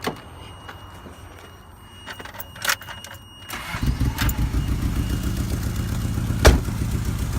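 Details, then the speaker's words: 1994 Toyota Tercel, hot, after Seafoam treatment: an uneven, lumpy, stumbling beat. Cylinder 4 is the main problem, suspected to be a non-sealing intake or exhaust valve; exhaust leaks at the front are also present. "okay here we are engines still hot cylinder 4 is the main issue so we're gonna test it"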